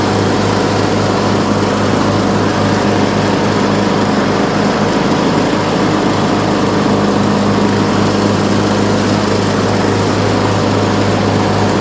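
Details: Troy-Bilt Pony riding mower, revived from scrap after electrical and steering repairs, mowing passes testing the deck: steady, even drone with constant low hum, no misses or knocks while mowing; runs excellent, normal.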